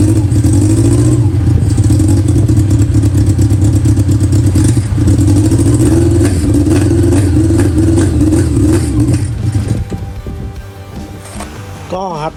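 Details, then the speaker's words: Honda CB400 four-cylinder with four Keihin carburettors in an off-road golf cart, initial start while tuning: revs on throttle with uneven, lumpy beat, then sags and dies as revs drop; will not idle. "มันเบิ้ลได้ครับเบิ้ลได้แต่ว่ามันเดินเบาไม่ได้อ่ะ"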